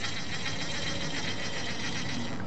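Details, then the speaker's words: Vintage Altex Felton Crosswind half-bail reel during rebuild and servicing, handle turned by hand: fine, even gear ticking at a steady rate with no grinding or catching, so the action is smooth. "so we've got a nice little action on the clock line going on now"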